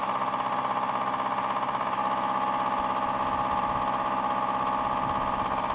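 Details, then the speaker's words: 1999 Subaru Legacy BH5 EJ201 boxer, cold start at −2 °C: dull regular knock about two a second under steady whir, piston slap; driven a year with it. "когда смотрите двигатель холодный должен быть абсолютно холодный только на холодную вы услышите штук поршня цилиндра"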